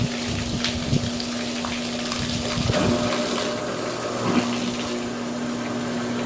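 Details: Discarded, non-functional GE washer with a mechanical timer, tested during a drain: a steady low pump hum under rushing, splashing water with no rattles or grinding, showing the drain pump emptying the tub normally.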